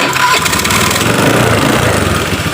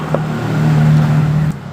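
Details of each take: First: Honda Beat FI scooter after repair of a worn decompression lever (rocker arm pad built up) that had made electric and kick starting heavy: starter spins freely, engine catches at once and settles into a steady, even run; normal electric start. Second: Honda Beat FI scooter: a steady, low, heavy starter drone drags about 1.5 s then cuts. Kickstart also feels very heavy; battery reads 12 V, dropping to 11 V on the starter. Thick white exhaust smoke blamed on rings. Hard cranking from a worn decompression lever.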